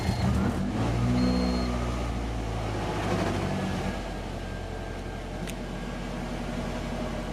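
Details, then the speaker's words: Budget Honda CRX, B16 engine, after fixing code 14 by installing a new idle air control valve (A11 red wire to power, A19 spliced to chassis ground): engine catches, flares briefly, then settles to a steady, even idle with no hunting; throttle response back. "And as you can see, it's now idling better. The throttle response is back."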